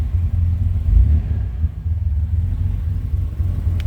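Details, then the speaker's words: Normal idle of a 1985 TVR 280i convertible with a Bosch fuel-injected Ford 2.8L V6: a low, steady, even rumble with no misses, knocks or ticks; it runs smoothly. "and as you can hear a nice sound car run smooth they had a bosch fuel injection system to it 2.8 liter v6"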